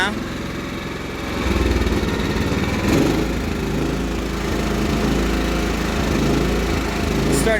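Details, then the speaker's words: Cub Cadet 1330 mower engine suddenly running unevenly, hunting up and down. The owner doubts it is out of gas and suspects the throttle cable/linkage needs tightening. Surging, cause not confirmed. "why is it running on uneven all of a sudden it's not running out of gas already right it couldn't be now"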